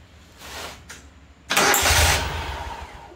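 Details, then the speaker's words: Great Dane Chariot zero-turn mower with Kohler Command Pro 25 (CV730) engine that cuts off: short crank, catches and runs briefly, then fades as it dies; starts but won't stay running, cause still undiagnosed. "doesn't want to stay running. I'm going to give it a little more check. Okay, it cuts off."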